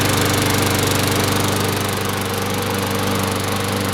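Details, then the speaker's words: Sears Craftsman lawn mower, model 917.370610, on its last start after washing, an oil change and oiling the sticking wheels and gears (air filter not yet replaced): small single-cylinder engine runs steady and even with no misfires or surging; normal running. "Much better, looks better."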